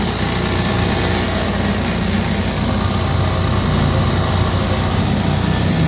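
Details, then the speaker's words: Honda Beat Deluxe fuel-injected scooter: a fast, busy high idle with the throttle untouched that never settles to a slow tick-over. The throttle cable checks normal; the throttle body, ISC and TPS are inspected as the likely cause. "Mesinnya berputar sendiri padahal seharusnya normal."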